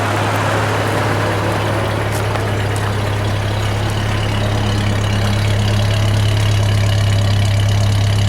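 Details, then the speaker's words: 1998 Ford Ranger, after replacing a fuel injector that caused a rough idle, at the exhaust pipe: low, steady exhaust rumble at idle, even beat, no stumble or miss; owner believes the injector fixed it. "Sounds pretty good there. I believe the fuel injector fixed it."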